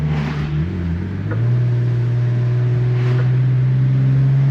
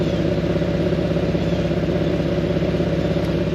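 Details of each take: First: Nissan VQ37 with Berk high-flow cats replacing ISR high-flow cats, heard with windows down while driving: deep steady exhaust drone rising smoothly with throttle, no ticking or puffing from a leak; exhaust sounds healthy. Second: Nissan VQ37 V6 with ISR high flow cats, idling: low uneven bubbling puff, loud near the front on the passenger side; exhaust leak.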